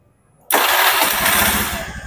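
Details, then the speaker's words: Honda Beat FI scooter that kept dying at idle, after TPS wiring checks, a new coil and a final simple fix: it catches at once and settles into an even, steady idle, now normal with no stalling. "Nah, ini sudah hidup, sudah normal, udah enggak mati-matian."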